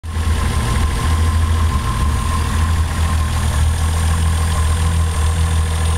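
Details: Toyota 7M-GTE engine checked with a Colortune spark plug: deep steady idle with a slightly lumpy, uneven exhaust pulse; cylinder 1 misfiring at idle.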